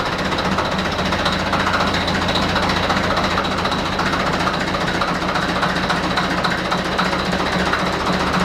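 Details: Deutz F4L514 air-cooled four-cylinder diesel, under repair of cylinders and cylinder heads: even, rapid clatter at a steady speed, about 220 beats a minute with a fan whirr; healthy running.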